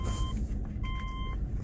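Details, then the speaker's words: Car that had a cylinder 1 misfire (P0301) and ran rough the day before, after a fix: brake-torqued in reverse with reversing beeper, engine holds a low, steady rumble, no stumble, misfire seems gone. "Put it in drive. Brake torquing it. It ran rough yesterday. Putting it in reverse. Now it runs. Seems to be running pretty smooth."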